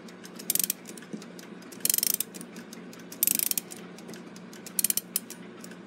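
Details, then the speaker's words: Gilbert long-drop octagon clock rebuild, mainspring wound after lubrication with synthetic oil: crisp bursts of ratchet clicks with short pauses between turns, winding to the top smoothly without binding, a little oil seeping out. "that went all the way up to the top without really feeling like it was binding or anything. Nice and smooth."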